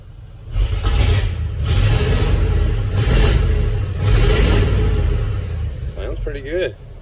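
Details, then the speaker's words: 1941 Ford with flathead V8, just fitted with a new HEI electronic-ignition distributor, muffler removed, in neutral: four strong clean throttle blips with open exhaust rumble and no misses, healthy rev. "Ah, here she is with no muffler."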